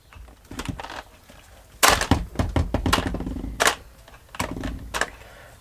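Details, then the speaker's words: HPI Savage SS nitro engine after years in a shed, roto start unit with taped battery wires: short bursts of straining starter whirr and thunks, no firing; engine still jammed, heat gun to be applied. "no it's just still a bit jammed still a bit jammed up"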